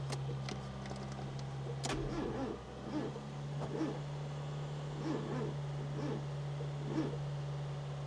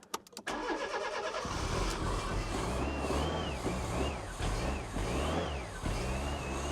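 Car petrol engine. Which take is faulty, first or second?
first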